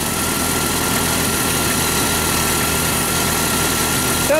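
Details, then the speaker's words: Jeep Cherokee 4.0 after a tune-up with new plugs, wires, cap and coil wire, previously a random-misfire check-engine light: uneven stumbling beat under a steady hum; a bit smoother but still rough, owner suspects an injector or cleaning. "better it seems to be running a little bit better we're gonna take it for a test drive it's still got a little bit of a mess it feels like maybe injector or I don't know"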